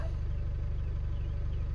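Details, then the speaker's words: Chevy Duramax diesel with a Poor Quality DEF warning, hood open, holding a slightly raised, smooth, steady idle after a scan-tool-commanded DPF service regeneration that injects diesel into the exhaust to burn off carbon; normal regeneration idle. "it's communicating turned on starting to raise the rpms so it's going to run through uh regeneration by injecting a little bit of diesel into the exhaust to burn off the carbon on the diesel protected filter"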